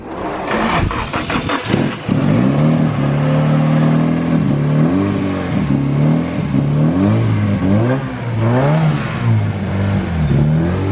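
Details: Engine after re-gasketing the timing chain tensioner with a new nut and refitting the valve cover (earlier a zip-tie dragging noise when the clutch was engaged): fires and runs steadily, smooth rising and falling revs, no top-end rattle or knock.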